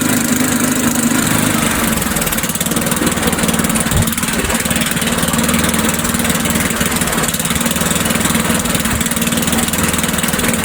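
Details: Old Sears Craftsman Eager 1 mower, Tecumseh engine, air filter installed, smoking off; fast, loud exhaust beat at steady speed with no misses, surging or knocks, running smoothly.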